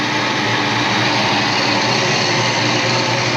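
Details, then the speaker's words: 1988 Saleen Foxbody Mustang convertible with a fresh motor, Trick Flow 170 heads, a Kenne Bell Flowzilla supercharger and Megasquirt, heard after the misfire fix. Primary temps are now more equal, cylinders 6 and 7 over 200°. Loud, even V8 idle with no stumble; normal. "And most importantly, we don't seem to have the stutter right up the throttle here. Nice and smooth."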